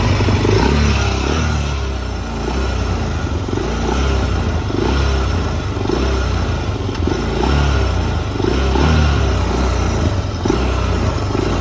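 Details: Like-new 2004 Honda TRX400EX, original owner, very low hours, started possibly on choke: single-cylinder lumpy cold idle, then picks up cleanly with each throttle blip; runs healthy and strong.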